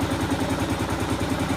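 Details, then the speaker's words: 2015 Kawasaki KLR 650 single warming up after a choke adjustment for hard starting; slow, even thump about five beats a second, idle right at 1,000 rpm, a hair low, before turning the idle adjustment screw counterclockwise to raise it. "right at 1,000, so I'm a hair low on idle."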